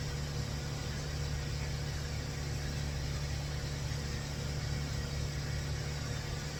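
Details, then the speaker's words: 2004 Toyota Avalon cold start after timing belt and O2 sensor wiring work; O2 sensors reading no volts. Steady, even low hum, slightly rough but no knocks or misses. Normal healthy cold idle; roughness not attributed to O2 sensor. "Right now. No volt. But it sounds good. It sounds really good on a cold start. A little rough, but I bet you it's not O2 sensor."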